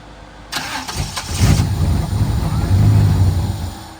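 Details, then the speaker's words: 1995 Camaro Z28 after AC and heater box delete, retried after a 10-minute battery wait: fuel pump primes, brief crank, catches and runs rough a few seconds then dies; VATS anti-theft cutting fuel. "Fuel pump primes. Starts and turns off. Try it again."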